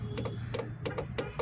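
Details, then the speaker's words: Suzuki Ravi CNG-to-petrol conversion, petrol switched on: petrol valve now gets current, crisp paired clicks about three a second over faint hum; no clicking means a switch fault; normal solenoid valve clicking. "ये देखें ये अभी हमारा petrol on हो गया है। ये इसकी कुप्पी जो पेट्रोल वाली है, पेट्रोल वाला वाल है, तो इसमें करंट आना शुरू हो गया है।"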